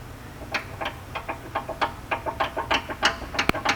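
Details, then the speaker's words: 2010 Nissan Altima: sharp, light metallic clicks, uneven but about three a second, as the sway bar end link is rocked. The link itself is tight; its nut is loose. Fixed by tightening it with a 17 mm wrench. "But what's loose is the nut back here. It's just loose. The nut is loose. That's all it is."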